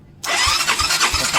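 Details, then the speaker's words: Yamaha Mio 125 carbureted scooter with fully charged battery and air filter removed, hard starting: starter whirs with even compression pulses about three per second but engine never catches; spark plug later replaced. "ยาวก็ไม่ติดครับนี่นะครับประมาณนี้ครับสตาร์ทไม่ติดครับ"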